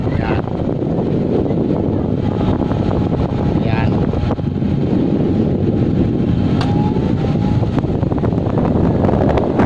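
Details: Electric fan that had only hummed and would not spin, after cleaning and servicing, running on speed one: a strong, steady rush of air with a low buffeting roar and no rubbing or hum; running normally.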